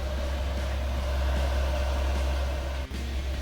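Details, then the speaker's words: Amazon diesel heater installed in a camper, after correcting the controller/pump setup, running a couple of minutes. Steady low hum, soft even fan whir, no surging or sputtering; running normally. "Now, here you can hear the pump. It's dark out. And the exhaust, not too loud."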